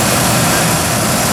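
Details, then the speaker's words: 1997 Ford F-150 4.2L V6: warm idle after about 10 minutes running, steady and even. The lifter tick heard on the cold 35°F start has gone away. "okay now it's been about 10 minutes engine been running it's uh warmed up now the tick has gone away"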